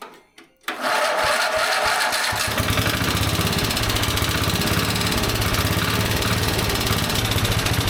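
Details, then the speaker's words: Small carbureted engine first run in an estimated 20–25 years: catches and runs with uneven lumpy beat about three a second, never settling; closed choke choking out the carburetor while fuel mixture is adjusted; engine choking. "Okay. So, the problem that we're having is that the choke when it's closed is obviously choking out the carburetor and"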